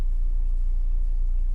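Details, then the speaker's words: 2016 Honda Amaze S, 1.2 i-VTEC four-cylinder with 5-speed manual, heard from inside the cabin at idle; steady low hum with even rumble, no knocks or misses, showing the engine's NVH — normal idle. "So also, if you could hear the vibration of the engine, so this is a 4-cylinder engine, and if the mic could capture, this is how the NVH feels like in the Honda"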